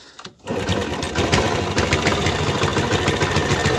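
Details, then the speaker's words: 1999 Honda Biz C100 single-cylinder engine, about 25 years' use with little maintenance, before teardown: busy rattly clatter, about three or four beats a second; worn crankshaft and connecting-rod bearings and timing suspected. "well as you can see we have noises from the crankshaft bearings of the connecting rod distribution in short all the noises"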